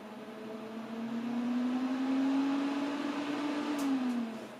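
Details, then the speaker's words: 2008 Mac Pro after months unused: a steady whir climbs in pitch over a couple of seconds, holds, then eases off; fans racing during failed boot, possibly because it couldn't find a boot drive. "you could probably hear that the fans did just spin up again but let's try that one more time"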